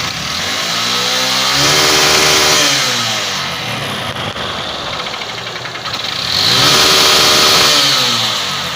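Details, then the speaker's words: 150 cc motorcycle single: rough knocking strongest at idle, persisting but easing slightly when revved; damaged connecting rod (biela). "tá aí ó batendo muito na lenta acelera um pouquinho bate mais não é"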